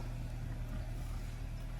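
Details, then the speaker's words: 2022 Chevy Malibu 1.5T with about 65,000 miles, which had a no-start, starting after a new part was installed and connected to the harness. It settles into a quiet, steady low idle hum with no stumbling or surging. Normal idle after repair. "All right, the moment of truth. We are in the vehicle. Let's see if it starts up. And voila."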